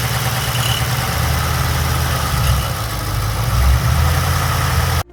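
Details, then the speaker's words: 2016 VF Holden Calais with LS3 V8 and W375 package, idling with a loose, chattering rattle in its rumble: broken timing chain dampener letting the chain slap, a common failure on later LS engines. "if you guessed broken timing chain dampener then you'd be 100 correct this style of dampner found on later ls engines such as this ls3 are notoriously known to fail on a regular basis"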